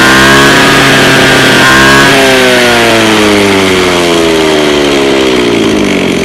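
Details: Two-stroke lawn mower that is hard to start and runs unevenly: idle buzz keeps sagging and wandering instead of holding steady, a rough uneven idle; cause not confirmed.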